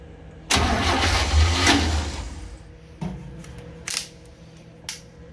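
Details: 1966 Chevy G10 van, long-stored, battery briefly charged, premix fuel poured in: starter drags slowly with uneven chug, brief catch then dies; owner suspects weak battery and maybe a bad starter.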